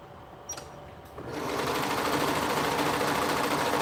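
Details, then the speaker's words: Sewing machine while sewing: fast steady chatter of about three to four beats a second over the motor, a rattle from inside; cause unknown. "can you guys hear that like weird noise that it's making it's like something's rattling in here and i don't know what it is"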